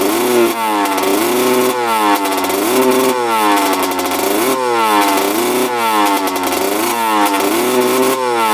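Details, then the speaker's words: 2000 Honda CR125 two-stroke at first start before repair: repeated full-throttle blips climbing then flattening and falling back instead of snapping to high revs, heavy white smoke; severe bog, owner suspects water in fuel. "super boggy um that was Full Throttle I was doing just puffing out a ton of white smoke"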